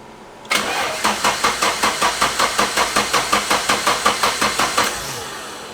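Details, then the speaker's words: 1990 Nissan 240sx S13 with KA24DE DOHC swap, freshly reinstalled wiring harness and fuel lines: starter cranks steadily about 160 compression pulses a minute for four seconds but never fires; no fuel because the ECU was left unplugged. "Yeah, we have no fuel. First time around, I forgot to plug the ECU in. My fault."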